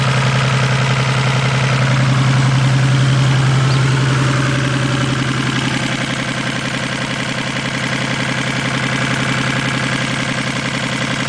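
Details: 1987 Toyota Supra Turbo just bought, fouled plugs replaced with new platinum plugs, high-octane fuel added: uneven lumpy idle with a steady low beat, about 220 a minute, a cylinder misfire.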